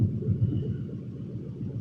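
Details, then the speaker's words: 1969 Ford F100 with a 4.6 V8 swap and air ride at ride height, no exhaust, just cats cut off past the O2 sensors: deep, loose, lumpy low rumble with no ticks or knocks; healthy idle. "I'm not sure if y'all can hear it Rumble but it sounds really good"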